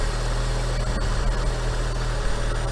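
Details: Fiat Punto 1.2 idling after a rocker cover gasket replacement, checking for leaks: a steady, even low rumble with no knocks, misses or ticks. Normal idle; cam belt still to be done.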